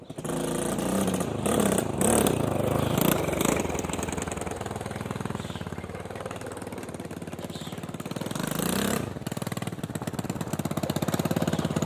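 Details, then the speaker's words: Given 250cc quad bike with a new carb, spark plug, battery, air filter and fuel lines, plus a very rough wiring harness: uneven putter that rises when revved, then sags and stumbles instead of holding speed; the engine bogs under throttle. "It does have its issue though. It seems like it's bogging down a bit."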